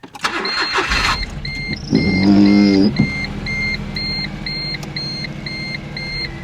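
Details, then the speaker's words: Cheapest Smart car bought for $800, first start: cranks and catches, then idles unevenly with a lumpy, wavering beat under a repeating chime; rough running, possible misfire suspected, not confirmed. "It's not running well."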